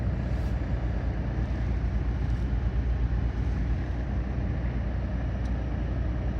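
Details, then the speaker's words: Saab NG9-5 with the A20DTH diesel (same as Opel/Vauxhall Insignia), 302,000 km, original factory turbo, idling after the VNT turbo vanes were cleaned of dust to fix no boost. Steady, even, smooth diesel idle; exhaust far quieter than before, when the stuck-open vanes made it very loud. "let's listen to the exhaust yeah that's way quieter because earlier since the VNT WS was open it was super loud"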